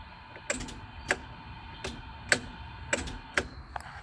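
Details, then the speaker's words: Melex 625e golf cart with EZGO ES1-4002 series motor, Alltrax 48400 controller and 48V Chevy Volt battery modules: sharp dry clicks in a quiet room as the main contactor drops out at key off; normal. "so that's how it switches uh turning it off at the key turns off power to everything so just like a normal golf cart"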